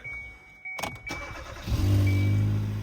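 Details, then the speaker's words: 2014 Kia Soul after catalytic converter replacement, exhaust pipe joined with a double U-bolt clamp: engine cranks, catches and idles low with a puffing exhaust note; exhaust leak at the clamped joint. "There's definitely an exhaust leak. I just heard it."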